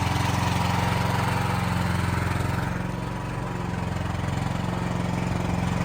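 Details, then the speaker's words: Building backup generator during monthly life-safety testing, running before transfer to load: steady, even thrum at constant speed with no hunting, misses or knocks; producing power, normal idle. "It is putting out power, so we can go ahead and transfer over to generator to put some load on it."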